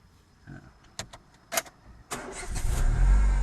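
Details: 2004 Renault Scenic started after a keycard repair on a 30°C day: a few light clicks, then the starter spins and the engine catches quickly and settles into a steady, even idle. Normal start.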